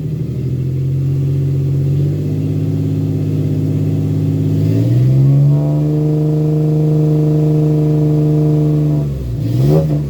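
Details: 2001 Ford Ranger XLT 4.0 V6 that cranks a long time before starting only in the morning, once running: an even, steady note rising smoothly to a higher speed and holding without misses or knocks; normal running, runs and drives 100%.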